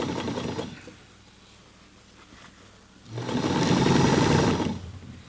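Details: Singer 237-MA sewing machine, cleaned, oiled and tension adjusted, hemming jeans: fast even needle chatter about four stitches a second, rising and falling with the pedal, no knocks; stitches heavy fabric smoothly.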